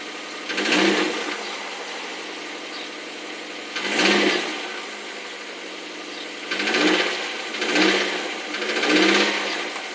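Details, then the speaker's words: Mazdaspeed Miata on a fully cold start, hood open: repeated sharp, deep knocking bursts every second or two; the knock almost disappears once warm, and the owner suspects a failed rod bearing. "okay so this is my u4 Mazda speed Miata which I suspect has a failed rod bearing so right now the car is completely cold got the hood open so I'm going to start the car walk around let you guys hear the sound"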